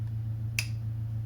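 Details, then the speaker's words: 2005 4L80e transmission, freshly rebuilt (Level 3 kit, transbrake) with no line pressure: shift solenoid A switched on via EFI laptop with harness connected gives one sharp tick over a low hum; solenoids working normally. "you can hear them tick that's your sign might be so I can hear them both working"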